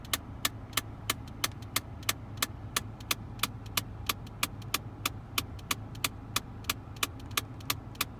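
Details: 2001 Mitsubishi Galant EA2A 2.0, sudden clicking from the dash climate control while driving: sharp clicks about three per second, independent of engine; cause found to be a broken heater/cooling flap actuator.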